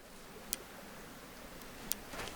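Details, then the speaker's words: Electric fence charger just reconnected to the fence wires and switched back on: two sharp, dry clicks about 1.4 seconds apart over a quiet background, the energizer pulsing voltage normally. "Do you hear the fence? Click, click, click. That's the fence throwing out voltage on the fence."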